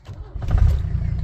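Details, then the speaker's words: 1983 Mercedes 240D, four-speed manual, swapped OM617 turbo diesel, cold start: brief crank, fires right up, good oil pressure, settles into deep even rumble; exhaust currently dumps straight off the turbo; normal cold start. "Fires right up. Good oil pressure. Sounds beautiful."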